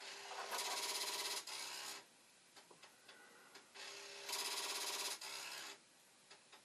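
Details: Commodore 1541 disk drive, read/write head cleaned, mechanism on a working power supply and board: raspy high whirring in long bursts, faint ticking between, drive speeding up and slowing down; spins but won't read, cause unconfirmed.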